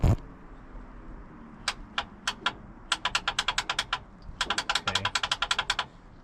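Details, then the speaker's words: Boat, key turned on the first start attempt: bursts of rapid sharp clicks, several per second, with no cranking. The upper starter solenoid clicks but does not engage; the starter is suspected bad and the ignition cables were disconnected. "a solenoid clicking oh sounds like that upper solenoid clicking so it almost engaged right there"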